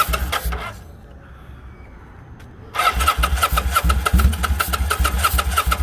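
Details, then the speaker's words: Kawasaki Vulcan 800 motorcycle, fuel petcock switched between reserve and prime, fuel leaking: rough uneven firing bursts, pause, then cranking with ragged pulses that never settle into idle; cranks and dies, fuel starvation suspected. "Now it sounds like it's not getting none, right? Yeah. Hold on, maybe. That joint sounded good though for a second. Thought she was ready to go."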